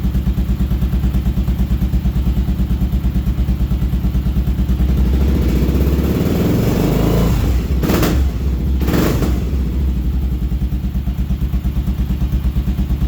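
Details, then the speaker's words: Kawasaki KLR650 single-cylinder after carburetor cleaning, pilot mixture set to 2.5 turns: steady thump at idle, clean crisp revs up and back down, settling evenly; runs healthy. "It seems to be running pretty good, and now it revs."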